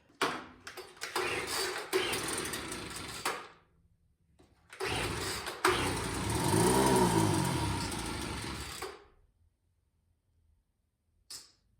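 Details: Craftsman two-stroke leaf blower that had sat unused, after priming the bulb: it catches after pulls, revs up unevenly for a few seconds, then dies. The carburetor needs adjustment.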